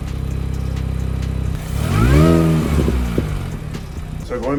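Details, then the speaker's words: Mini Cooper S R53, stationary after re-oiling and reinstalling the cold air intake filter, revved: a clear supercharger whine climbs and falls with the blip, noticeably louder than before; normal for this engine. "Can for sure hear the supercharger whining a lot more. If you can hear it this much while it's I guess just stationary, I'm pretty sure it's going to be a lot louder when I am driving it."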